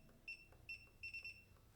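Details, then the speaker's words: Singer SE9185 sewing machine touchscreen panel, adjusting stitch length from default 2.5 mm: six short sharp high beeps over about two seconds, one per touch; normal keypress tone, can be disabled in audio settings. "Aí eu posso, por exemplo, clicar e a máquina não vai ficar fazendo esse barulhinho, esse pi, que toda hora eu aperto."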